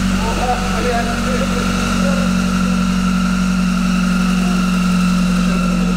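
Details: Lada Granta Sport engine at steady smooth idle, constant low hum with no knocking or rattling; belt can be heard whistling, possibly near the alternator; engine otherwise runs normally.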